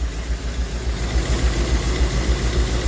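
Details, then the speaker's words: Rolls-Royce Silver Shadow II with rebuilt twin SU carburettors and new fuel pump, first runs after sitting 10 years, no heat cycles yet: steady low idle with soft even pulse, fairly smooth but not perfect, some smoke at rear; normal idle. "Wouldn't say it's running perfect, but it's running pretty pretty good. Remember, it's been sitting 10 years."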